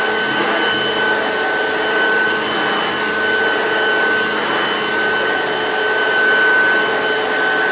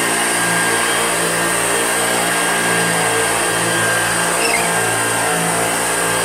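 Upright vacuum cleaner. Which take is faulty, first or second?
second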